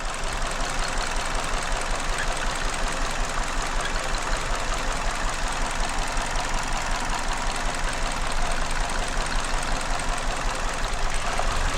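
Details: 2019 Hyundai Elantra 2.0 petrol engine idling rough with a loping single-cylinder misfire, check-engine light and code P30400; pulling each coil in turn, sound unchanged on cylinder four, so fault is its coil, plug or cylinder.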